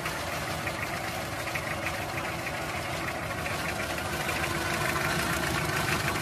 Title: Toyota 2C engine rough idle how to troubleshoot (tagalog) #Alexdiyboyph